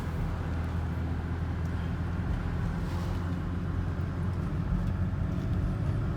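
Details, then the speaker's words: 2008 Volvo XC90 with Haldex AWD, driving after CV joint replacement; smooth low road and engine rumble with no rhythmic clicking or clanking, AWD restored and suspension noise gone; brief brake noise from sitting in the cold. "Oh my gosh, it's smooth now. So my all-wheel drive is back. No more click sound."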